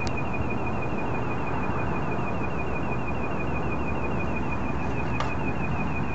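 A thin, high-pitched whine wavers in steady pulses over a constant low rumble; the source can't be pinned down yet.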